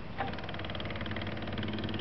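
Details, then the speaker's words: Grasshopper 721D diesel mower converted from a manual to an electric fuel pump, wired to the fuel shut-off valve's hot side: faint, rapid, even ticking at key-on with the engine off as the pump primes and runs until key-off; normal operation. "you can hear the pump rod when i hit the key watch this right here and the pump still runs until i turn the key off"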